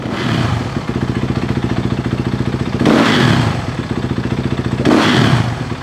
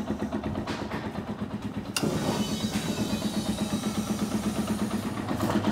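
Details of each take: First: Dirt bike with newly installed Rekluse clutch, free play set so the lever comes in between 1/16 and 1/8 inch when revved: fast idle takes two quick blips cleanly and settles back without stalling, normal. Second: Small dirt bike started cold after carburetor work: catches, then a thin, slightly hunting idle; owner suspects the idle circuit is still a little lean, fuel screw to be adjusted and needs long warm-up.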